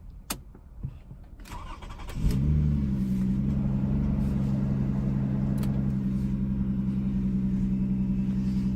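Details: 2005 Lexus ES 330 from the rear, start to idle: loud droning deep exhaust rumble, slightly rough idle, persisting as rpm drops; owner told one catalytic converter is the cause, suspects muffler leak, not confirmed.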